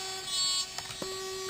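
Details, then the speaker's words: Brand-new Traxxas 2085 steering servo in an X-Maxx, steering linkage attached under slight load: a faint motor buzz with two sharp clicks about a quarter second apart and no steering. A broken or slipped internal gear is suspected. "top of that there's click so there must be something in there a broken gear or something of the sort"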